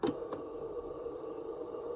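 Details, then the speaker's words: 1985 Realistic SCT-34 Tandy/Radio Shack cassette recorder: button click then steady even whir of fast tape spooling; fast-forward and rewind working normally. "so everything's working perfectly so that's good news"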